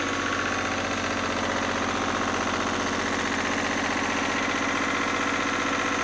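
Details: Lister #2 diesel generator just after fuel system plumbing from a former 20-gallon dry-sump oil tank, leak-check run (no drips): steady, even thumping about four beats a second, no misses or stumbles; slow diesel idling smoothly.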